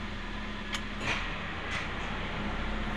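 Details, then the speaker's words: Toyota Avanza after repair: AC blower on and running normally with engine started, steady low even whir with light cabin knocks; AC, turn signals and power window had failed from reverse-switch wiring shorting to body, blowing the fuse, now rerouted and fixed. "ini Alhamdulillah untuk hasil sudah hidup Ini hasilnya sudah nyala"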